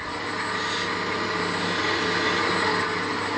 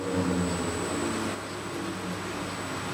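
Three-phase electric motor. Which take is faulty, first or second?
second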